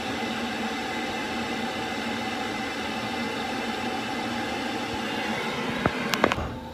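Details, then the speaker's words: Worcester boiler after fan replacement, following condensate blockage that backed water into heat exchanger and fan: steady, even fan whirr with no rubbing or bearing rumble, a few brief clicks near the end; new fan running normally. "So put a new fan in, that's all running well. As you just saw, I turned it down because it got too noisy, but we'll turn it on and turn it back up."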